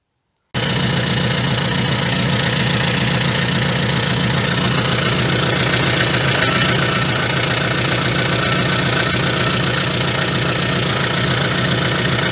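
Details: VAZ 2114 engine idling after replacing cracked crankshaft damper pulley, alternator belt, timing belt and small crank sprocket: steady even idle with smooth regular beat, no knocking or rattling; sounds healthy.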